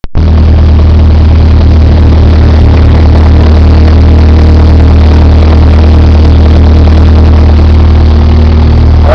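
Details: 4AGZE engine with 88k miles at idle: heavy, loose low knocking, very loud with clutch out and gone with clutch in, plus short scraping sounds when the clutch is fully out.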